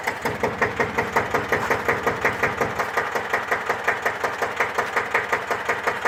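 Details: 1954 Deutz F1L612 air-cooled single-cylinder diesel tractor, 11 PS, cold start after overhaul for TÜV inspection: slow even thump about three firings a second, steady and clean, no extra knocks; healthy idle.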